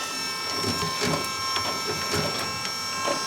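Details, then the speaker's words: Willys Jeep Kaiser Willys PS2000 12 V electric-over-hydraulic power steering pump running while wheels are turned: faint steady electric whine under irregular creaks and scrapes, virtually silent; normal pump operation. "Virtually silent electric hydraulic steering."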